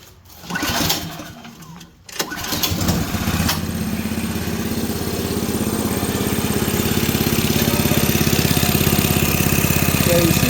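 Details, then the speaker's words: Toro 724 OE 7 hp snowblower, hand-pull started, valve cover off: fast, fairly regular tapping over idle as rocker arms dance; valve clearance far too loose, adjustment needed. "that valve dancing rocker arm dancing all over that's way too loose"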